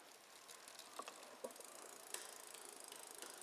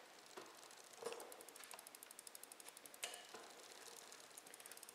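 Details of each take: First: Bicycle rear derailleur, Shimano XT, after adjustment, shifting down through the gears without load: light, even freewheel ticking with clean single clicks on each shift and no grinding or chatter; normal smooth shifting. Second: Bicycle with a Shimano XT rear derailleur, limit screw turned too far clockwise: fast light ticking with sharp clacks as the chain tries to jump into gear eight. The chain is jumping gears because the limit screw is misadjusted.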